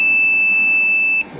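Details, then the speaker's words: Daikin packaged chiller with a burnt-out coil that had gone bang: a continuous high-pitched voltage tester beep breaks off briefly and then resumes, showing the wiring is still live until the supply is switched off. "got a live there there that is still live so I ass it to be um careful of we turn this off"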